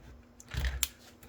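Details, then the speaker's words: Model railroad bench-layout track being tested for electrical shorts with a track cleaning car on the orphan rails: a faint handling rumble, then one sharp little pop in a quiet room. The track shorting out. "All right, and hear that pop? That's when I short."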